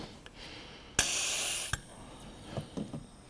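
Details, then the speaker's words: Leakdown test on a 1993 Ford Mustang Foxbody 5.0 V8, cylinder set about 16–17° before TDC on compression stroke, 110 PSI shop air: brief air burst then light hiss, gauge in low range; normal small leak-by, cylinder healthy. "And you can hear you can hear the air leaking off. you'd be able to see that leak down tester is showing in the low range."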